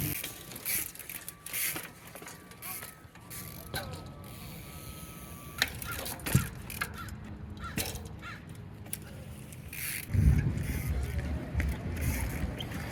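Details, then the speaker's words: Alaudark single-speed rear hub, 114 points of engagement, new on a Star Neuron street-trials bike, while riding: bursts of rapid crisp ticking when coasting; ratchet running dry without freehub oil. "I didn't put any pre-hub oil in it yet, so that's what it sounds like."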